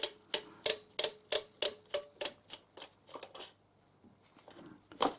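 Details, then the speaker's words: Sharp, dry clicks about three a second from the handle spring of a PCL tyre pressure gauge with a cracked air connector; the clicking is normal, nothing wrong. "The clicking noise you can hear is a spring for the"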